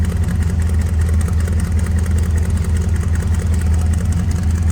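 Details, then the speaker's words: 1951 Ford F1 pickup with a 302 small-block Ford V8 and automatic overdrive transmission, heard at idle before the hood is opened: even, low exhaust rumble, steady pulses, no misses or knocks; healthy idle. "Take a listen, a little rumble coming out of that 302."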